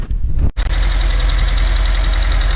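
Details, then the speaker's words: Toro 2CV tractor, stood about 20 years, running after priming a dry carb and fuel pump that wasn't lifting fuel: brief catch and start, then steady even idle, smooth low beat, no knocks or misses. "and there she is folks after some cutting about with the fuel pump which was dry we got it running lovely eh"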